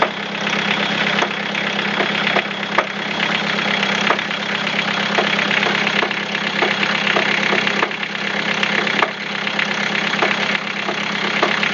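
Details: Toyota Caldina with 3C-TE diesel engine at idle: a sharp, uneven knock about once a second over the diesel clatter, from the piston area and felt through the whole engine; cause unclear.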